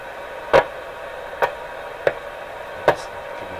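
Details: Canadian General Electric KL-96 tube radio, after its Super Beam-A-Scope antenna wires were replaced, gives sharp isolated pops and tiny clicks roughly every second over a quiet hiss; a fault inside a tube is suspected, not confirmed.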